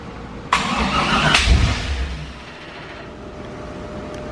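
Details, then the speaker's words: Honda S2000 with V8 swap, first start after EGR and secondary air injection were turned off in the tune; short crank, quick catch and rev that dies within a second, then a funny clicking; spark and duty cycle shown: fires briefly, no start. "fired makes it funny clicking look at that start I'm getting back it must be we're gonna find the vehicle and I fit in there somewhere"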